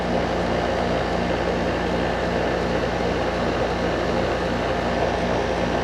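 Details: Goodman AC condenser unit during tune-up, running while amps are checked (fan motor rated 1.3 A, compressor 25 A, minimum circuit 32.6 A): steady even hum, low electrical drone and smooth fan rush, no knocks or rattles; normal running.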